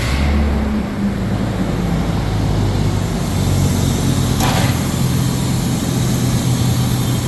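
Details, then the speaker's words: Truck engine restarted after a blown-out spark plug repair, with low coolant from a leaking oil cooler: a smooth, steady low hum with no ticking, popping or misfire as the AC compressor kicks on. A healthy, even idle. "AC compressor just kicked on. So yeah, sounds good."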